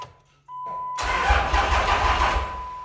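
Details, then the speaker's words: Diesel truck (CP3 pump, AirDog), fuel system not yet connected: chime, then brisk, even starter cranking about 1.5 seconds with no dragging or clicking; won't start without fuel but cranking sounds healthy. "nope we're just trying to crank it it's not going to start there no fuel"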